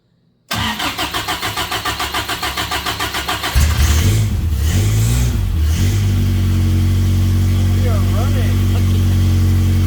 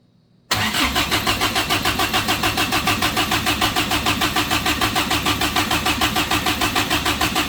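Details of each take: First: Samurai offroad build engine, first run after fixing vacuum leaks, no coolant circulating yet: cranks with an even chug, catches, then settles to a smooth steady idle with a clean rev, no flutter or rattle; sounds good. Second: Suzuki Samurai rock crawler engine newly converted to propane: even cranking about three pulses a second that never catches; a port thought to be a water fitting was actually pulling vacuum, a vacuum leak preventing start.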